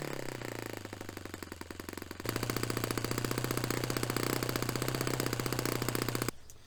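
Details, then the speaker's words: Restored Saito FA-45 Special glow engine on test stand, 10% nitro, warmed up: crisp firing jumps to a steady high note at full throttle, peak about 10,260–10,300 rpm after slight top-end richening from 10,600–10,900; normal, well-tuned top end. "So that was actually a good little run. We got the peak at about 10,260, 10,300."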